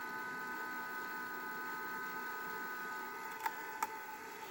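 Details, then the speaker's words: 6 ft fiber optic Christmas tree base; a steady high whine with faint fluttering hum, then two sharp clicks; the small base fan is suspected as the noise source, not confirmed. "seems like the fan was making that noise but I'm not really sure what"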